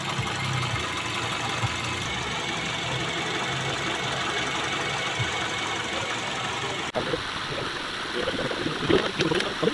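Engine idles with an uneven, stumbling beat and an occasional dropped pulse over a rough hum, consistent with a misfire; handling noise follows.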